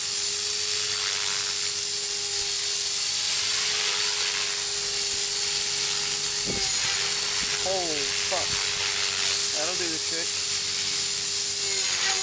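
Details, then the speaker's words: Trex 450 helicopter after crash rebuild with metal head and tail mod, gyro raised from 83 to 87, fresh battery: steady strong high-pitched rotor and motor whine at full headspeed. "bumped up the pyro from 83 to 87. Hear that fresh battery."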